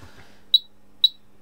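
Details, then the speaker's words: HP 34401A 6.5-digit multimeter powered up after repairing a burnt PCB by linking around it with wire: two short, clean high-pitched beeps about half a second apart over a quiet hum; no power-on self-test errors. "No power on self test errors. That's encouraging."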